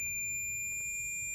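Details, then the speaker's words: Ohmmeter continuity test on a switching FET from a Yamabishi SF-PW switch-mode power supply (FREQROL-SF CNC spindle drive): solid high beep held about 1.5 s, a dead drain-to-source short that blew the current-sense resistor. "And as you can see from the drain to the source, that is a just an absolute dead short."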